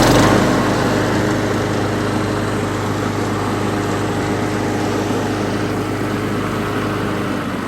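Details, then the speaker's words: Rebuilt Craftsman 2000 series mower, carburetor replaced with one built from stockpile, new throttle linkage and springs: small single-cylinder settles into steady even putter, no misses or surging; normal running. "Anyway, give it, I'll start it up for you real quick. Probably everybody'd like to hear that."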